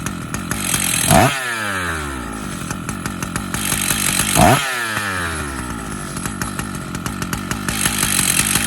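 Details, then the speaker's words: Stihl MS 880 chainsaw, 121.6 cc, idling with a loose metallic rattle and two quick throttle blips; the clutch is worn out and no longer works, needs replacement. "Le bruit du métal que vous entendez, l'embrayage, Malheureusement, l'embrayage ne fonctionne plus. Il n'y a pas d'autre solution . Il va falloir le remplacer."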